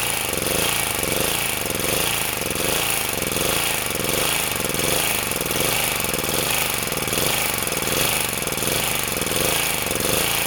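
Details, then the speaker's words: Sportsman 2000 W generator under a 1500 W space-heater load: engine speed surges and sags about once a second as the governor hunts. The governor seems too sensitive, overreacting and bogging the engine, so the spring will be moved. "what happens is it responds too violently and then it buls the engine down"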